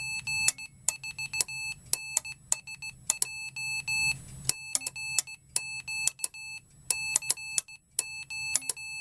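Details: Homemade Morse keyer, steel-ruler paddle, speed-controlled electronics and small speaker on a PP3 battery: clean steady high beeps in short and long groups at a brisk pace, no dropouts; keyer working properly.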